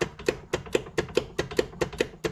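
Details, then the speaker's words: 1994 Club Car DS gas golf cart in forward with the pedal pressed: sharp regular clicks about four per second and no cranking; battery thought fine, with the solenoid or starter-generator brushes suspected. "as you can hear it's not really doing anything that it should be doing"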